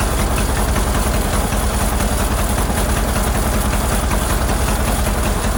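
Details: Ford Model AA doodlebug (cut-down farm truck), old four-cylinder, running after a new carburetor was fitted: lumpy, uneven idle stumbling about two or three beats a second. Plugs shorted with a screwdriver show cylinders 3 and 4 at the back misfiring; owner earlier suspected a stuck-open valve.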